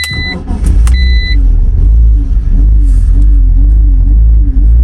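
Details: BMW Z4 (E85/E86) petrol engine idling with a low rumble rising and falling unevenly; a new part changed nothing, and the idle control valve was found stuck.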